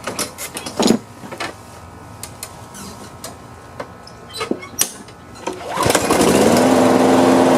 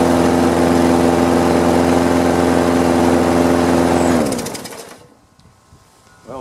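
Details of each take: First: Free Craftsman push mower that had sat outside a long time, just tuned up with carburetor cleaning, oil change and new RJ1 spark plug: after some clatter it catches and settles into a slow, even putter; owner thinks it idles kind of low. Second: Free Craftsman lawn mower after carburetor cleaning: small engine runs steady and even at a fast regular beat about four seconds, then shuts down; healthy.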